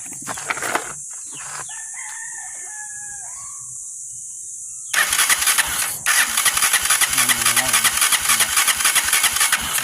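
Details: Honda TMX 125 motorcycle with a history of hard starting, now dead with no ignition power: quick steady starter cranking around three or four turns a second, never fires; very weak spark at the high-tension wire, cause suspected, not yet confirmed.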